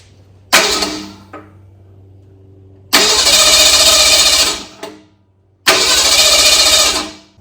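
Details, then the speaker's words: 1964 Ford Galaxie engine on a run stand with a swapped carburetor, fuel pumped in after running empty: three short cranking bursts that catch and die; hard starting, choke stuck open. "A stupid choke. The choke's stuck open."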